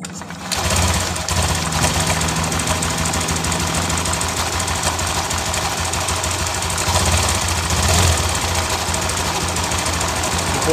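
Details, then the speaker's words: Honda Genio scooter engine idling with a fast, rattly clatter over its low chug, appearing days after someone put sand into the oil filler hole; rubbing friction also heard at the side. "kita perhatikan lebih jelas suara apa yang ditimbulkan dari kletek-kletek itu"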